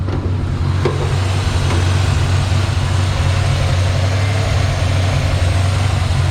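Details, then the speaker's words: 1964 Chevrolet C10 V8 automatic, cold during warm-up: steady, even rumble held at a slightly raised fast idle that should drop once warm. Normal cold fast idle. "she's still warming up so she'll kick down after she's warm"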